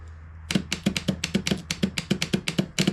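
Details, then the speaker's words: 1997 Craftsman II riding mower, 13.5 hp Tecumseh, with a no-crank electrical fault: starter solenoid jumped directly from a battery jumper gives sharp, evenly spaced clicks, about five per second, no motor turning; it clicks over, not heard before. Normal solenoid. "yep so solenoid works I mean at least it it clicks over which is what you would expect it to do so uh we weren't hearing that before so I do know for the most part this works"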